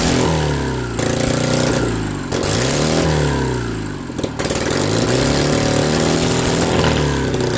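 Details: BMW R69S twin with Kayser power kit, first start after engine restoration: uneven, lumpy beat that wanders as it is blipped and settles back; carburetors of unknown origin are untuned and need balancing.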